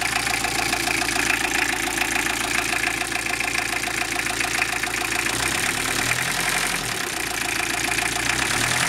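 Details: Toyota Emina/Estima 3C-TE diesel idling: loose, uneven knock about twice a second under the usual clatter; engine knock, cause not pinned.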